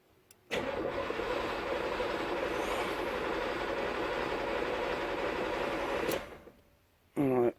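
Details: IROCZ after fuel pump install, in neutral: starter spins steadily about five seconds with no catch and no fuel pump hum; cranks but won't fire; bad fuel pump relay suspected in owner-made wiring.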